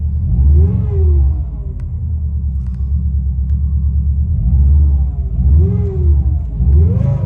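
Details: 2003 Subaru Impreza WRX (GDA), EJ205 engine, 5-speed manual, 148,345 km: revs rise and fall under a deep rumble, with an irregular off-beat noise following engine speed. Abnormal engine noise, source unconfirmed; teardown planned.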